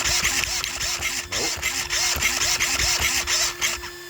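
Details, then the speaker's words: Small RC car after servo mount and BEC install, under load: rapid repeating clicks about three a second over a high electric motor whine; owner suspects the axle, unconfirmed; drivetrain clicking. "What is making that click? I don't like that. It sounds like it's in my axle."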